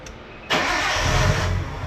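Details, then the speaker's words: 1993 Nissan Skyline RB20DET being cranked to relieve fuel pressure before a fuel filter change. It cranks and catches roughly on residual fuel, then is left to die: engine stalling from fuel starvation. "we're going to let it just die we start it again that should be all the fuel pump primed"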